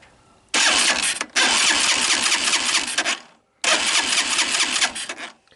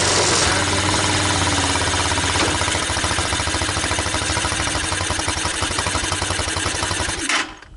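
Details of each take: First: Tao Tao ATA200D ATV bought cheap as a non-runner, starter test with the engine turned over: two bursts of quick, even cranking chuffs over a steady starter whirr; compression sounds healthy. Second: TaoTao ATA200D ATV, single-cylinder: steady fairly quick idle thump, then dies abruptly when shifted into reverse; stalls when put in gear.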